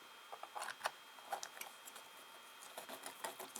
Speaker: See, that's clicked off there. You can hear that. I might have actually just clicked round.